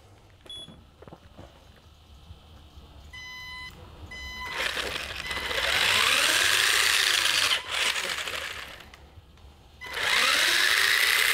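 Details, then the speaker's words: Tamiya-type RC car fitted with a Ninesteps brushed 60 A waterproof ESC driving a brushed motor, motor wires reversed to correct direction: startup beeps, then a clean whine rising and falling; full forward, brake and reverse all working, normal operation. "perfect so we've got we've got full forward we've got break and then the second push using within fat butt reverse so that is really good that is all working really well"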